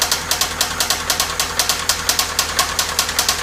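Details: 1997 Toyota Camry idling weakly: sharp metallic knocks about two per second, developed while driving with repeated engine cut-outs and white exhaust smoke; head gasket failure with water mixing into oil suspected, not confirmed.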